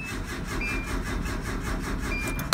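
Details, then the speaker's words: Mini truck with fuel gauge stuck reading three quarters: even starter cranking at about four turns a second with no firing at all; no start, owner suspects the tank is actually empty and plans to refuel. "we get nothing so what i'm beginning to think is we filled up the truck the day we got it and i didn't think we really did that much driving around"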